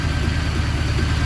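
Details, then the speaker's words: 1981 Honda Goldwing with new single carburetor, after fixing vacuum issue: steady even low idle, no hiss or hunting; owner may raise idle, carb tuning needed, vacuum fine. "i might wanna bump the uh idle up a little bit just because this bike can rot grab up to can rev up pretty high so some tuning on the carburetor is required but as far as the vacuum stuff"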